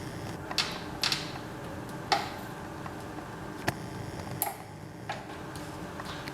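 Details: Micro droplet system bench with compressed-air pressure pumps, depressurizing a header-type droplet chip: sharp irregular clicks every second or two in a quiet room as the pump valves vent pressure. Normal operation.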